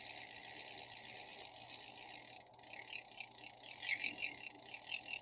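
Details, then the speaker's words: Vintage Daiwa 1600c Silver Series fishing reel, cranked by hand after oiling: quiet gear whir with a run of uneven clicks partway through; rough spot in the turn, suspected worn bearing with bushings turning inside the housings. "All right, let's crank it and see what happens. It's got a rough spot in it right there. I suspect that's the bearing. The bushings are turning inside the housings."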